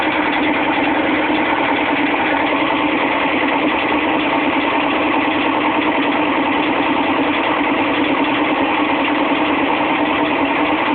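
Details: GE WBVH6240FWW front-load washer during spin; loud, continuous metallic clatter as two of three corroded, broken tub spider arms beat the back of the tub.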